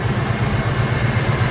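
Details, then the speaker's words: 1990 GMC Jimmy 4x4, rebuilt 5.7 EFI V8, about 45,000 miles since build, Airaid cold air intake, headers, dual exhaust with mellow mufflers and dual cats: steady even low burble, no ticks or knocks, starts right up, no smoke. Normal idle. "No strange noises, no strange sounds. Everything seems pretty good under the hood. Not loud, nice and mellow."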